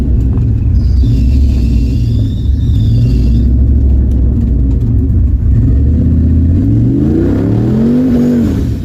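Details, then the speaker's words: GT45-turbocharged Mustang on a tuning drive after an alternator fix pulls hard, revs climb steeply, then slams into the rev limiter's hard cut, stuttering before dropping back. "Man, I whacked the rev limiter hard that time. It went into the hard cut. Dong, dong, dong, dong."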